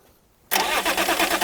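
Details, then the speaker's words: BMW E34 diesel, cranked after cycling the glow plugs, with some smoke showing it is trying to fire: a steady, fast starter whirr with no catch or firing pulses. It cranks freely but won't start, though it seems to be trying better. "I think it's trying better. Do you not? It does try, doesn't it? I think it's trying better."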